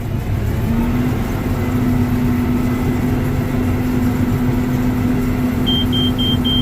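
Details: Combine with corn head engaged, run back down to idle after repairs: steady, even engine roar with the header drive humming, no knocks or squeals; chains look good and it is running healthy.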